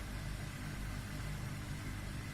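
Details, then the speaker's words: Arçelik 5800 E washing machine with noise complaint: rough, low rumbling hum, steady, no clear drum rhythm; noisy drive motor suspected. "bu 5837 türlü çamaşır makinesi var ama bununla ilgili ses yapıyor şikayet üzerine geldi da bahçemizin"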